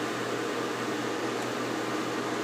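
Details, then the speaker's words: Soleil space heater after repair of a fan blade broken in a drop: steady even whoosh of air with faint low hum, no ticking or wobble; normal fan operation. "just a basic Peter here the fan like I said it's not wobbling off the table"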